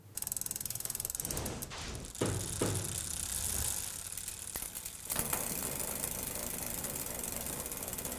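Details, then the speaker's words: Bicycle rear derailleur with extremely mis-set limit screws: uneven ratcheting clicks and rattles, roughly two to three per second, as the chain hunts between cogs and won't shift cleanly. The limit screws themselves are not at fault. "that sounds terrible let's see if we can figure out what the heck they were thinking"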